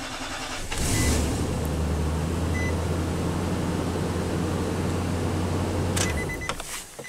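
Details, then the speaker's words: 2009 Nissan Titan V8, 130k miles, cold no-start after a limp-home incident and a battery replacement: steady, even cranking for about five seconds with no firing. The cam sensor waveform is erratic while cranking, so the cam sensor looks to be failing. "right here when we're cranking this is messed up we have two and then it stays high it should be default low with pulses going up so good thing we checked that cam sensor looks to be failing"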